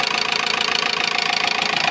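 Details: Toyota RAV4 1AZ engine at idle and mid revs: fast even ticking knock with a sharp metallic edge, revs dipping slightly; cause unclear, lash compensators questioned.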